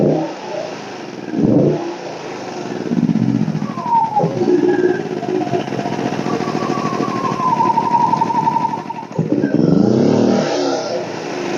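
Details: WEN 2000-watt inverter generator, about a year old, in for a warranty no-start; the fix was clearing a clogged spark arrestor, not a valve adjustment. After repair it settles into a busy, fairly even run with mild speed hunting under light load, running normally.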